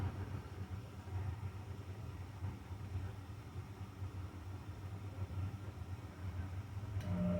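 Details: Carrier furnace after blower motor replacement (old motor failed, smoking and burning smell): steady low burner rumble with no popping, then a fan hum as the new blower starts near the end. Normal heating cycle.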